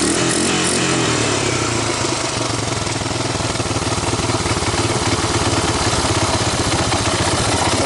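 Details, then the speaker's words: 1985 Honda ATC250ES Big Red single-cylinder, warmed up, choke off, after carburetor swap and adjustments (valves untouched): steady, even idle with no knocks or misses, not a bad idle. "it's not bad not a bad idle chokes off warmed up at this point"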